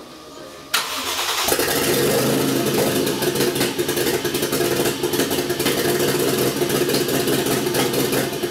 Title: 1jz first start misfiring.